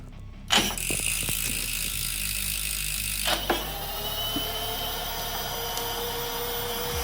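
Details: E-bike hub motor after fitting a new AliExpress controller and display, first gear, throttle applied, white wire reused for correct rotation: smooth electric whine climbs and holds steady, no grinding or clicking; motor spinning normally.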